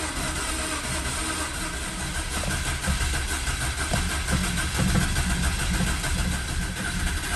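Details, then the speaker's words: 2004 BMW 325xi first start after engine replacement, having sat a couple years after a head gasket failure; steady even run with smooth low drone, no knocks, ticks or misses; some smoke from coolant in exhaust. "got everything back hooked up underneath and actually had it running for a minute and i'll insert the clip of the first start right now"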